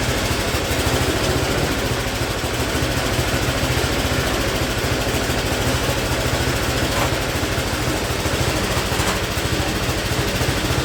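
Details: Speedex model 1630 garden tractor single-cylinder engine with new carburetor, reused old head gasket, running and moving first time in years: fast idle with uneven, lumpy beat and steady rattle on top; running rough, cause unconfirmed.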